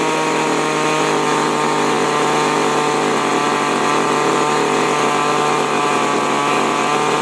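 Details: Chainsaw, model 5002/5018 type with H and L carburettor screws, holds a steady, even high-rev buzz with no surging after carb tuning: healthy run.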